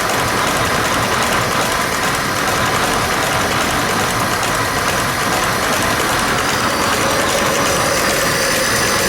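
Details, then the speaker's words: 1905 Mitchell D2, 300 CI inline four-cylinder, 35 HP, 3-speed manual, low mileage, once sat in a flood; owner worked to eliminate vacuum leaks. Steady even idle with no misses, surges or knocks; sounds perfect. "You spend a lot of time to try to make no vacuum leaks, and you try to make it run perfect. It sounds perfect."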